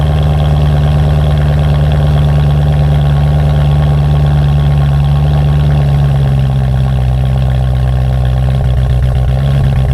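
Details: BMW M3 after replacing faulty passenger-side pre-cat oxygen sensor (P2626 cold-start issue): deep steady idle hum with a slight dip partway, then even again; briefly broke up seconds then stopped, normal idle after repair.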